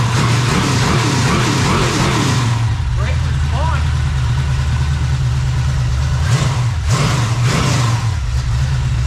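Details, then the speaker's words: Freshly rebuilt small-block Chevy 350 (roughly 355) on its first run, not yet warm (under 120, about 69 lb oil pressure): a steady, even idle around 750 rpm with a smooth firing beat and no knocks or misses. Normal idle. "oh yeah oil pressure dude look at that fantastic idling in about 750"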